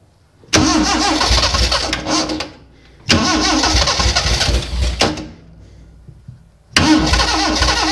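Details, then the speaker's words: First start of a freshly built Morris Minor engine that has no oil pressure yet: slow, labouring cranking in bursts with a few ragged catches that never take. Nearly firing; timing and fuel are suspected, and spark is being checked. "the good news was she was about to Fire and I'm sure you guys did just hear that"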